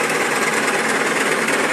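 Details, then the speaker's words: Small scooter engine running: fast harsh hammering knock like a mixer from the centre of the engine. "vocês lembram dessa motinha de ontem aí que eu liguei ela fez um barulhinho sinistro barulhinho estranho ó parece uma batedeira"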